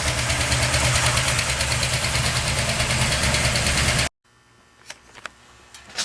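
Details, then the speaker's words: Solid-lifter Chevy 350 idling after its valves were readjusted for solid lifters, having first been set as hydraulic: quick, even ticking of about three per second over a steady V8 idle. It runs happier and revs freer. Normal solid-lifter valve clatter. "but this one has solid lifter so i justed them the belt rains fairly noisy now but it seems happier and rose freer and sounds better"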